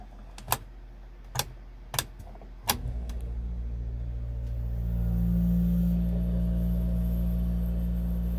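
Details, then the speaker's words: RV rooftop air conditioner that had only hummed without spinning, after spraying WD-40 into the motor: switch clicks, then it starts and settles into a steady low hum with even fan rush; normal operation. "WD-40 up in there, and that took care of the whole thing."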